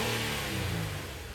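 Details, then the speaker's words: 2015 Nissan Quest after an idle relearn with an Autel IM608 for high idle (codes P0507, P0101): quick throttle blip winds smoothly back down without stumbling or misses; idle stable, engine revs cleanly. "all right so as you can see it says complete and we have the idle stable ready we're gonna give it a little bit of rip to see it's going to perform fine"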